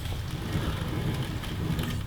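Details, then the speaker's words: Customer's Campagnolo Chorus Ultra-Torque crankset spun in a Parlee Z5 frame with new oversized bottom bracket, no wave washer so some play: gritty, ratchety rumble from rough, sand-contaminated bearings, though spinning freely. "the bearings are bollocks you can hear them and but it is spinning freely oof they are rough bearings"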